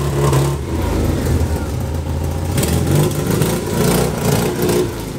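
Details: 1991 Honda Civic Si four-cylinder, test pipe without cat, exhaust missing rear section: loud rough stumbling and sagging at low rpm and idle under blips; bogging caused by faulty fuel pressure regulator.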